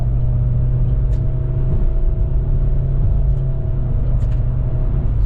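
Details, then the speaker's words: Suzuki SX4 automatic on a road test after brake caliper work to chase a knock: a loud, steady engine drone held at high revs, about 5000 rpm, while accelerating over road rumble, up from around 3000 rpm. This is normal and the knock is gone. "na mój głos To ja bym usłyszał że tu co najmniej 5000 obrotów Słyszeliście jak obroty tutaj się podniosły"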